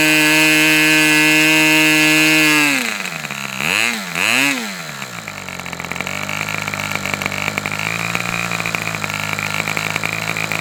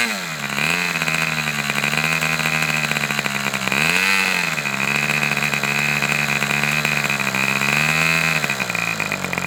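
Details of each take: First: Customer's Fox twin-cylinder glow engine on probably its final run of the day, outdoors as it cools off: smooth high-pitched scream at full throttle, then drops back through a couple of blips to a steady idle; healthy twin running normally. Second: Fox twin-cylinder glow model engine: high buzzing idle near 3600 rpm sags and recovers twice as one cylinder cuts out, popping back with throttle; low-speed needle judged to need two more notches.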